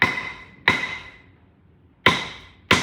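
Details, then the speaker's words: 1962 Buick LeSabre stored outside over 30 years, cylinder head off: four hammer drops on valves each give sharp ringing tap; difference in sound picks out a stuck valve. "Yep, and this one's gonna be stuck. See the difference? Hear the difference?"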